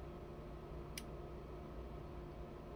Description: My 891 has what sounds like a relay click but will not power on.